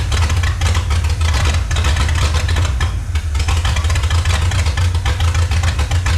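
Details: 1954 Chrysler New Yorker 331 Hemi V8 that sat in a salvage yard over 50 years, first start: loud, deep, uneven, loping idle. The carburetor pours fuel while running; owner suspects a sticking float and says it needs a rebuild and tune-up.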